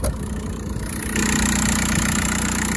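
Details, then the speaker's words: 2006 VW Beetle 1.9 TDI diesel with DSG transmission, about 189,000 miles stated, just started and idling with the hood open. A steady diesel idle with the usual light clatter and no knocks, misses or hunting. Normal diesel idle. "I'm sure you guys noticed this uh little diesel engine they're a little loud noisy but they're really reliable if you can maintain it"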